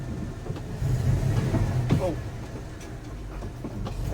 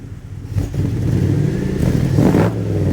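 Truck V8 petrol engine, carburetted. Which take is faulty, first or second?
first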